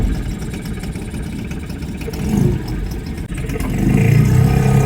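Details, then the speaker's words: Nissan 5hp two-stroke outboard on a jon boat at the lake after carb cleaning: a low, steady, even putter that builds slightly toward the end. Normal running; the engine never died during the outing. "Um, but the engine runs great. Never died on us once. Um, it's pretty powerful for only being 5 horsepower."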